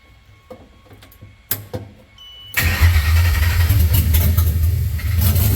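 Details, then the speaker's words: Coyote V8 swapped 2014 Mustang GT S197 on standalone harness, fuel pump ground left disconnected: starter cranks steadily at about 220 turns a minute and never catches; crank no start. "may help if I put the uh fuel pump ground back on so let me do that then we'll crank it"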